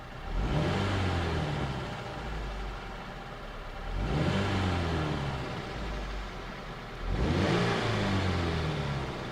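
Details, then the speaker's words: 2007 Chevy Cobalt engine with its oil replaced by 10 lb of melted candle wax, just started, oil pressure light on: three throttle blips bring a harsh, rough clatter rising with revs. "All right, it still runs somehow. Sounds horrible. Let's see if it warms up and comes out of it. And the oil pressure light's on."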